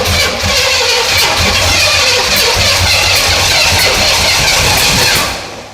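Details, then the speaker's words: 1977 Pontiac Firebird barn find, overhauled Pontiac 350 small block at first start attempt, distributor turned 180° but wired to a Chevy firing order by mistake: loud harsh cranking with sharp pops about every half second, dying without catching; backfiring. "Something's wrong. I think we our firing order can't be right or something."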